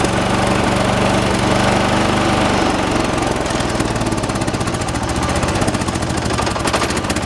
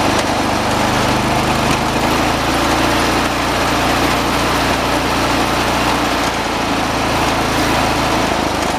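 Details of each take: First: 1986 John Deere 216 lawn tractor, 16 hp single-cylinder Kohler, during carburetor adjustment: heavy thump about four beats a second changing rhythm as mixture is tweaked, still uneven; shake considered normal for these engines; uneven running. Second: 1986 John Deere 216 lawn tractor, single-cylinder, at high throttle: steady even drone, no surging or hunting; judged all right, throttle linkage left alone; normal running.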